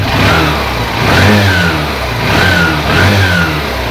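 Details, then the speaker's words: Honda Shine SP 125 BS4 motorcycle, single-cylinder, after repair of an engine-noise complaint: engine blipped up and down twice, rising and falling cleanly with no knock or rattle; sound now perfect, normal revving. "Sound perfect हो गया कोई तरह का issue नहीं रहा"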